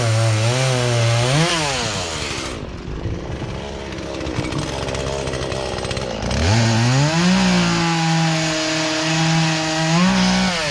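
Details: Poulan Pro chainsaw that sat unused in a barn for three years and never ran right, after low and high carburetor adjustment with a tool kit: revs up crisply, pulls down evenly in the cut, recovers cleanly to steady high rev; normal cutting.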